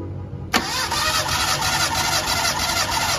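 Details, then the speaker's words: Mitsubishi Lancer with a misfire, suspected of loose compression; compression test, cylinder 4: quiet, then even steady cranking with no dropouts; 175 psi, equal on all four cylinders, so compression is ruled out. "OP so Ayun mga Paddy pantay ang compres 175 All right boss goods good good o goods tayo sa compression test"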